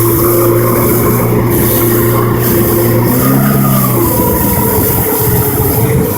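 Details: Jetski engine with a loud, steady low drone that wavers and dips midway; abnormal engine noise, cause suspected but not confirmed.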